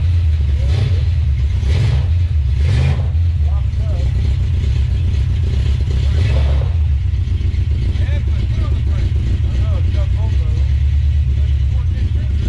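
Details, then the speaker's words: 1970 Plymouth Duster 340 project car, first start attempt: deep V8 rumble with uneven, stumbling pulses when blipped, missing on some cylinders; owner suspects an old worn-out truck engine; transmission works and both rear tires spin with weird sounds. "so it is indeed missing you can hear it um that's probably just an old worn out truck engine"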